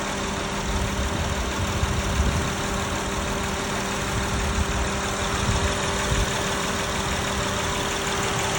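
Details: Honda V6 at 195K miles, after Valvoline Restore and Protect oil: steady petrol idle with a faint light tick from the front cylinder head, likely valvetrain.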